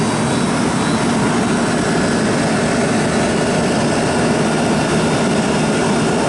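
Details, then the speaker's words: Pizza shop condenser fan with new Ranco head pressure fan control, cutting in 260-265 psi, off about 208, about 50°F outside: even steady air rush over low hum, no scraping or wobble; normal fan running. "It's good for the fan to run constant, not go on and off, on and off, on and off."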